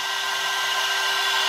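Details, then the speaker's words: Air-cooled 1.5 kW 110 V CNC spindle on a 2.2 kW VFD, still at full speed after the five-minute run: steady even high whine with airy fan hiss; spindle running smoothly. "stop it's still running full speed again"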